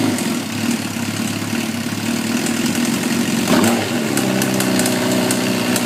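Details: Suzuki GSXR 1000 inline-four, 33,000 miles, no FI code, 175-180 psi compression all cylinders, leakdown negative, idling then blipped with light irregular metallic ticks, intermittent, loudest at the head; owner suspects valve train. Cause suspected, not confirmed.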